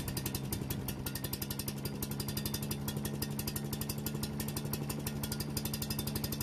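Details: Yardman leaf vacuum/mulcher small single-cylinder engine after carburetor work and reassembling: steady, even chugging around four pulses a second, no misses or surging; running properly, warming up for an oil change.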